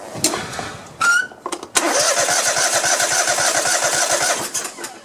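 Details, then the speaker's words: Cub Cadet LT1050 lawn tractor, Kohler 25–26 hp twin burning oil, running on one cylinder with the other plug disconnected: uneven chuffing with gaps, exhaust blowing from that side; head gasket suspected. "when i'm running it on this cylinder alone that's when we see the the exhaust so i think it's a head gasket on this side"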